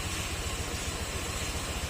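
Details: Honda Click 125 V3 scooter after engine rework (tensioner, rocker arms replaced): even steady low putter about eight beats a second, no knocks or misses; idles smoothly.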